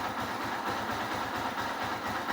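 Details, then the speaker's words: Honda Hornet 160R with new cylinder kit, after fixing low pickup (was about 70%, not cured by a new clutch plate): steady, even single-cylinder idle, smooth stock sound, no knocks or rattles; starts on one press. "And गाड़ी का आप sound सुनिएगा, tuning सुनिएगा। इसका cylinder kit वगैरह हमने new डाला है, आपने देखा है, काफ़ी स्मूथ साउंड निकला है, जो बेस साउंड है वही आया है।"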